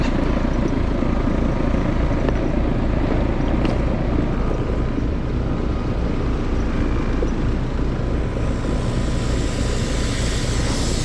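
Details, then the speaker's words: Heat pump outdoor unit, fan disconnected, defrost cycling okay, head pressure seemed normal; compressor draws about 10.3 A (11.5 A total). Heavy rough low rumble with fast uneven pulsing. Compressor is the loud noise, judged about to fail and needing replacement. "That compressor sounds a little bit rough. Going in and out of defrost okay, but I think the loud noise she's hearing is the compressor."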